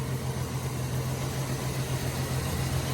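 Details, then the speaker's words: Jeep YJ petrol engine after new intake and exhaust manifold gaskets and water pump, restarted not from cold: low, slightly sputtery uneven idle with occasional backfires. Owner suspects vacuum leaks; it smooths out as the engine warms. "Still having a little bit of problem with some vacuum leaks. As you can hear here, it's a little bit sputtery, but it always seems to work out as the engine warms up still."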